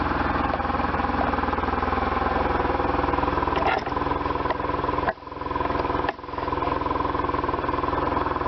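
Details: 1998 BMW R1100RT boxer twin, first run after restoration, throttle bodies not yet tuned; steady, even low pulsing idle with a couple of brief dips, no knocks or rattles, running cleanly.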